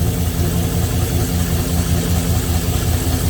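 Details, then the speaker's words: 6.0 LS V8 just after replacing spun rod bearings; was noisy until oil pumped up: now a steady, even low idle with no ticking or knocking. Normal idle. "I needed to let her pump up a little bit more, I think. There, she sounds fine now."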